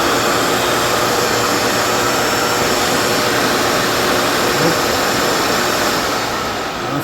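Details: Dyson vacuum: steady high airflow whine from the motor with no brush chatter underneath. The brush roll isn't driven because its drive tabs are sheared, though the motor is most likely still spinning.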